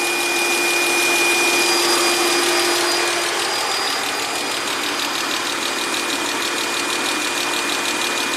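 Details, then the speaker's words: 2004 Chrysler Crossfire off the road over a year with a no-crank fault, now running: smooth, steady warm-up idle with a faint air-pump whine, alternator charging. Owner suspects an offline TCM not reporting park, so the PCM blocks cranking. "so so now question is why doesn't it crank okay there goes the air pump on okay pretty smooth"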